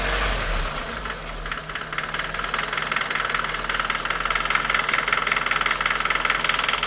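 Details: Nissan Micra K11 1.3 CG13DE petrol engine at operating temperature: light, quick, regular ticking only at idle, gone with a few revs; freshly serviced with 10W-40 oil at correct level.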